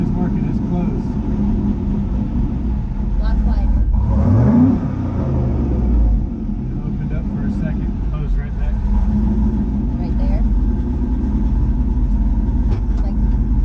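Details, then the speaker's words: Turbo LS 5.3 in a C10 with a new vacuum-operated loud valve (exhaust cutout) on the downpipe: deep raspy, uneven rumble at idle and on a blip as exhaust leaks past the closed valve, which chatters; quiet only at 7 inches of vacuum or more. "so the valve is closed right now and that is the exhaust leaking past the loud valve like crap"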